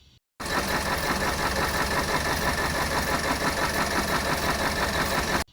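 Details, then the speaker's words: BMW 320i E92 N43 engine after rebuild with new King bearings, running: light, steady ticking knock over idle, rod knock straight away; crank journal had gone oval and out of size, so engine was pulled and crank removed. "So once I replaced them, we started up, rod knock straight away."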